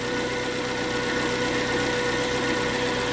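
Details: Suzuki APV after a crank no-start electrical fault that began when the park light was switched off: short stretch of steady, even idle with a faint constant hum and no misses or knocks; running normally.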